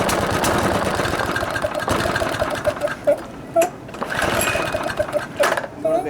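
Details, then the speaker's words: Murray lawn mower that starts but won't run right, with oil near the air filter, possibly after being tipped over: an uneven, sputtering engine that surges and drops away, never settling; an oil-plugged air filter is suspected. "okay so that's about all it will do so what that sound like to you boys I bet you anything because there's that oil there uh that we have an air filter that's plugged with oil"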